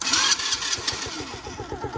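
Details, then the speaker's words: Old quad ATV, free pickup, first start in several years: quick crank, catches right away and settles into a steady quick putter with no ticking, stumbling or visible smoke; normal start and idle. "There's no ticking in the engine. Still no smoke from what I can see. I'm impressed."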